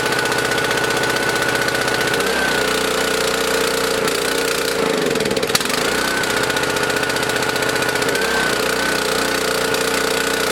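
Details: Small single-cylinder mower engine on 87 octane fuel stored 13–14 months, started with choke: runs steadily with a few brief dips, otherwise even; runs fine.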